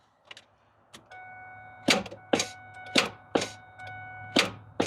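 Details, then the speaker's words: 1998 Ford F150 abandoned about 17–20 years, engine partly torn down with bad-looking pushrod: heavy single clunks on each key turn with a steady chime and no cranking; engine still seized solid. "boy she's still locked up tight"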